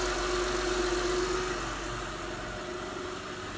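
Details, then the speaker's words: 2006 Honda Pilot first start after water pump, timing belt and 100k service; smooth, even idle with a steady mid-pitched hum and no ticking, crashing or misses, engine running normally, battery a little low. "oh I hear nothing crashing it sounds good check things out not that I thought I did a bad job but you know I just never know I've never done this before sounds good sounds like a high engine it'll run 600 000 miles we hope"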